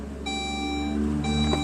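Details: Saab OG 9-3, engine off, after fuel filter replacement: the ignition is cycled repeatedly so the fuel pump relay primes the pump and filter; a steady bell-like tone sounds, pauses briefly and repeats, the normal key-on chime.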